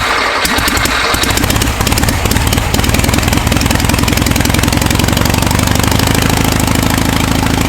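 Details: Air-cooled VW engine on a starter stand, reassembled, timing being set near 7.5° BTDC with vacuum advance disconnected: steady, rapid clatter with even beat, no misses or knocks; normal idle.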